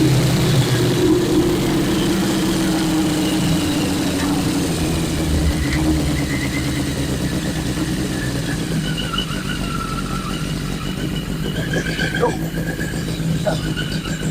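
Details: 1981 Yamaha Maxim XJ650 four-cylinder, revived after 20 years, rear wheel raised: even run pulling cleanly as the wheel spins up through first to fourth gear, no knocks, misses or rattles; healthy engine.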